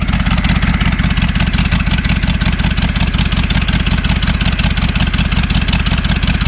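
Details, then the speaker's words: Ford 6.0 Powerstroke diesel running with exhaust disconnected (open manifolds, rusted Y-pipe bolts being worked on): loud, raw rapid popping pulses, sharp and crackly, sounds like a motorcycle. "In case anyone was wondering what an open block Powerstroke sounds like, it sounds like a motorcycle."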